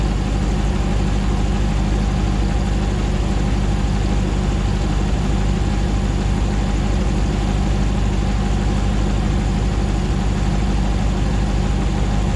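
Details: 2009 Hemi 1500 TRX4 auction truck, first start after months of rebuilding, about 87 psi oil pressure: even, steady V8 idle with smooth low rumble, no stumble or hunting while warming up, no longer jerking like before; normal idle.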